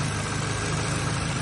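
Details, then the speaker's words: 2009 Toyota Camry four-cylinder, high mileage, after coil pack replacement for a cylinder 3 misfire (wiring harness also broken): even, steady idle with no stumble; check engine light no longer flashing, misfire gone. "the car is not miscar anymore there are zero check engine lights flashing"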